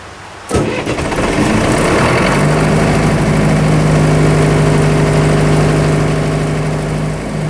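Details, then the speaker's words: Military surplus diesel generator after sitting several years, started outside in cold weather: short crank, quick catch, then one steady beat that won't follow throttle; suspected seized injection pump linkage rather than a failed pump. "I think what's actually going on is the linkage to the injection pump is actually seized up just a little bit fried for sitting for too long"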